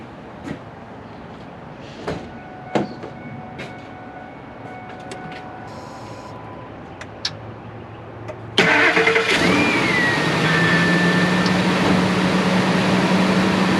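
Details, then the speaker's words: 2000 Ford F250 Super Duty 4wd service truck conversion, first start after build completion, no leaks: catches at once and settles into a steady, even idle; runs good. "man that runs good"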